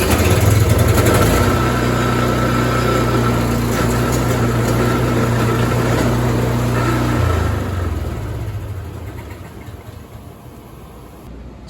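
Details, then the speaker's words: Craftsman snowblower reassembled after repairing a damaged, bent impeller that was making noise: steady, even engine drone with no scraping, rattling or knocking from the auger side, then it fades; normal running. "looks like that's working fine i'm gonna continue on moving snow today so"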